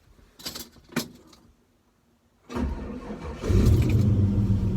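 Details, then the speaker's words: 1967 Chevy C10 with 6.0L LS crate engine from 2007 Silverado, new starter and new battery after earlier hesitation: brief crank then V8 catches at once into steady deep idle, no hesitation; healthy start. "but I put a new battery and you started it's it's great no hesitation whatsoever when you started up"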